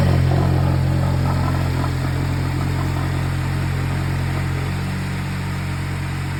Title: Weird noise coming from timing side of engine when cold. Car is at 185k. Oil change every 3k. Lmk..!